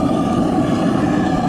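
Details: Waste oil burner, propane shut off, running on waste lawnmower and refrigeration compressor oil through a siphon nozzle at about 10 psi air, melting aluminum engine parts; steady, even roar with a faint constant hum, no sputtering or pulsing: normal burner operation.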